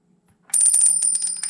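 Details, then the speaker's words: White Xbox One, untested console, tried with known-good power supply: sharp high-pitched chirp with steady whistling over quick flutters, fails to power on; internal power supply suspected bad. "sounds like the power supply in it is bad it's making a weird chirping noise"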